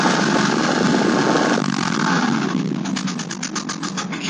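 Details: Late-model Porsche 996 911 Carrera 4, noise present about two months and 2,000 km; it stops when lifting off the throttle, so owner suspected the fuel pump. Harsh rattling clatter under throttle easing as revs drop, then quick ticking about four a second; internal failure, engine replaced.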